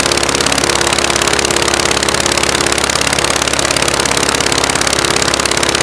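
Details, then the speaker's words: Praga B2 aero engine, last ran 1 September 1939 on Hillson Praga G-AEYM, rebuilt and run on a Vauxhall test rig, first run: loud, fast, even firing clatter at steady speed on a single magneto; the second is dead and needs rewinding. "Only one magneto on at the moment. The other magneto doesn't work. So needs to be rewound before it will do anything useful."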